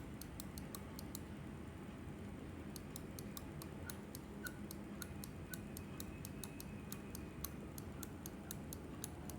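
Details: Glorious Model O mouse after two months of use: sharp, fast clicks in quick runs, some carrying a faint high squeaky chirp, over a low room hum.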